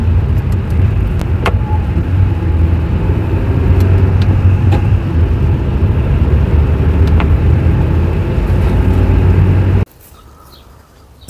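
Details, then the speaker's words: Toyota robotized Aisin 5-speed manual gearbox while driving: steady rumble with sharp single bangs each time third gear engages, while the other shifts stay clean. Knock when shifting into third. "Toyota robot пятиступка. Стучит третья передача."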